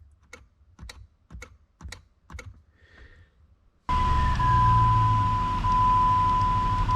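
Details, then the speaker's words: 2004 Jeep Grand Cherokee WJ with multiple electrical faults, engine off, key on: rear defroster relay clicks sharply about twice a second, then loud steady hum; relay switching normally. "so what's interesting is the rear defroster you can hear the relay click listen"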